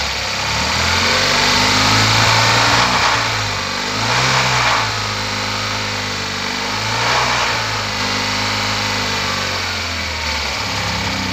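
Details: Tata Nano with a misfire and poor accelerator response: small engine revs up and down unevenly with rough sharp pops as the throttle opens; backfiring on acceleration.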